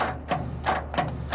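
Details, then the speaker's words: Continental diesel with its intake full of rainwater: about four sharp starter clicks with no cranking; the engine is seized and will not turn over on its first start attempt. "okay I think we've uh I'm uh just out of luck on this one it's locked up tight won't turn over at"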